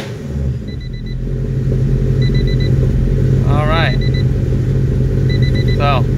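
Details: Honda with a pocketed, chipped, tuned and recapped P28 ECU, on a test start: fuel pump primes immediately, no check engine light. Engine catches and settles into a choppy, rolling idle; the lope is from a stage 4 cam, not a fault.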